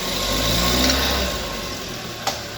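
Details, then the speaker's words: 2019 Chevrolet Prisma GM petrol engine after replacing the alternator belt and tensioner roller: clean idle and revs, no squeal or chirp; the loud noise under acceleration is gone. "a correia nova escalada vou passar motor agora para ver se vai continuar o bagulho é e nada de barulho"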